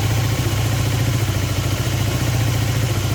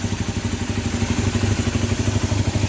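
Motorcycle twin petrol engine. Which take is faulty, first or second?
first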